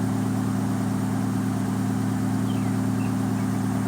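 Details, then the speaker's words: 2013 Dodge Dart 1.4 turbo with P0299 boost codes, warming up after a cold start, idle around just above a thousand: even, steady idle hum with a constant low note, no stumbling, knocking or hunting; sounds healthy, better than before. "it sounds pretty healthy dude sounds really healthy I don't know if that's just a vbo effect or no it sounds better I'm telling you it sounds better"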